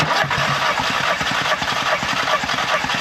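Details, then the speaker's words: Audi TT with misfire, compression gauge in cylinder 1 while cranking: steady, even starter beat about two and a half per second, no uneven strokes; cylinder 1 reads about 175 psi, normal (cylinder 4 later low at 125). "So, let's quickly go crank the car over and see what the comp compression is on cylinder 1. So, on cylinder one, we're about 175, which is good."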